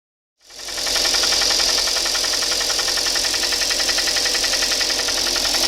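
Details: Hyundai ix35 at 64,000 km, on Shell 5W-30 changed every 7,500 km, idling with a light, fairly even knock of about 220 per minute. Piston slap from scored cylinders 2, 3 and 4; replaced under warranty.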